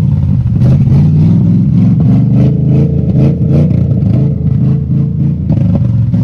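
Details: 1966 Ford F-250 Camper Special sitting about 32 years: loud steady churning crank at an even pace, never catching; cranking no-start, cause not yet pinned down.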